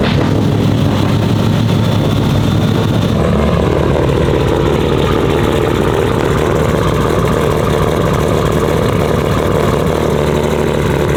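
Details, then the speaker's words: R32 Skyline GT-R, brand-new built engine (1500 hp build), first start, warm-up idle: loud, deep, lumpy rumble holding an even idle, no knocks or ticks, no visible leaks; normal idle. "Sounds angry, boys. Sounds angry. God, sounds so good."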